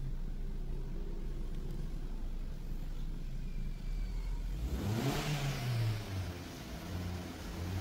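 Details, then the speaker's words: Maruti Suzuki Swift petrol, stalls when the accelerator is released, check engine light on: idle then revs climb late after pressing the pedal and sag unevenly; delayed throttle response, fixed by throttle body cleaning. "आपण जर accelerator दिलं तरी गाडी performance घेत नाही म्हणजे एक्सलिटर delay घेते गाडी"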